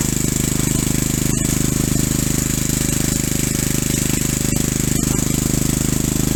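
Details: Single-cylinder engine, lightly honed and fitted with new 0.030in oversize rings, chugging under load while driving through its shaft: a steady, hollow slap about three times a second; the owner expected piston slap and confirms it.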